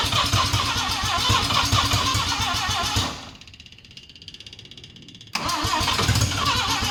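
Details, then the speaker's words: Mazda RX7 12A rotary barn find that sat for years, choke zip-tied open, roars on starting-fluid spray, sags almost to stalling, then catches. It runs only on starting fluid despite fuel in the carb; owner suspects the carburetor. "because it should run because there's fuel in the Carby but it's uh it's not like um it only runs when I'm spraying the starting bastard in there"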